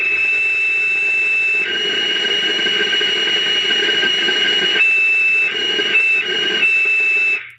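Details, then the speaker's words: Taiwanese-made Cobra 148 GTL CB radio with odd modifications, on sideband while moving an AM variable: steady high kettle-like whistle over hiss jumps in pitch; AM variable affects sideband audio. "it's definitely related uh somehow some way I don't know how a am variable is affecting uh sideband uh audio I have no idea"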